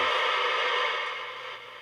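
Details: Superstar T747 mic tester's TBA820M audio amplifier oscillating, picked up by a nearby CB bench radio around 31.5 MHz: loud steady hiss with whining tones swamping the receiver, then slowly fading; cause a blown capacitor.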